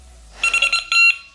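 A quick run of bright, high beeps then one longer tone, the bite alarm receiver sounding normally with vibration switched off.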